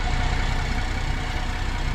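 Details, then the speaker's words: 2010 Holden Commodore VE SV6 3.6 SIDI after fuel injector replacement and swapping a faulty old ignition coil back out for the new one: even steady low idle, smooth unbroken rumble, no misses; runs cleanly. "she's running uh what ended up happening is believe it or not one of the coils was gone which i had replaced it but i put accidentally put the old one back in so of course it wouldn't fire as soon as i put the newer yin bang fired up straight away"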